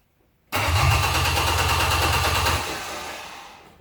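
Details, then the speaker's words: Old pickup truck after long sitting: starter churns the engine at an even three beats a second for two seconds with no firing, then winds down; fuel pump wiring tests good, pump suspected seized from sitting. "we got a bad fuel pump probably locked up from sitting"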